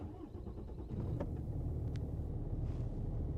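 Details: Cummins diesel truck running rough on cold starts at -20 to -30°C, with a jumpy idle even when warm: catches after a brief crank into a lumpy, uneven rumble. Fuel filter replaced and the idle smoothed out.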